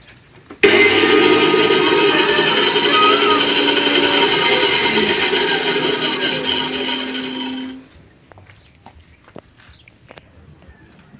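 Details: Mini bandsaw running rough: harsh, raspy whir with a fluttering rattle for about seven seconds, then winding down; fixed by tightening or loosening the adjustment at the rear with an L-key.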